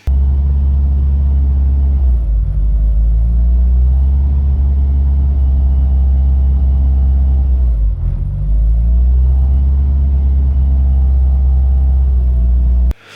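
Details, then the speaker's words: Rebuilt Mitsubishi EVO with EGR removed, no inlet manifold vacuum leaks found: idle sags then climbs back toward about 2,000–2,500 rpm, repeating, slow return after revving; hunting idle, cause suspected (alternator, IACV or vacuum leak), unconfirmed. "so yeah that's what it's doing it's just kind of it drops down then it goes back to 2002 and a half back down"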